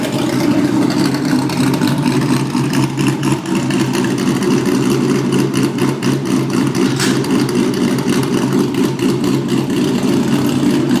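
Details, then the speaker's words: Porsche Boxster with LS3 V8 conversion, first test after removing mufflers and hex pipe system for straight pipes: loud, deep, choppy burble with quick revs rising and falling; healthy engine, sounds like a muscle car. "V8 Boxster, no mufflers. Test number 1. Holy shit. Now that sounds like a fucking muscle car."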